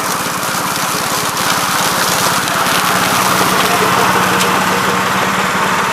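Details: 1969 Gravely C8 tractor, morning run after no-high-range repair: even single-cylinder chuffing at steady idle, no stumbles, knocks or rattles. Running properly.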